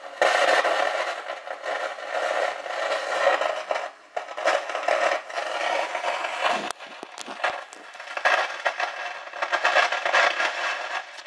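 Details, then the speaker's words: Realistic TRC-451 CB radio after full recap, receiver with gain turned off: harsh scratchy crackle and hiss surging and fading like a bad tube; static noise persists, suspected faulty transistor, cause unconfirmed. "what sounds like an old leaky old tube gear have a bad audio tube get all noise and Scratchy and stuff well that's what dis is sound like it's the best I can describe it"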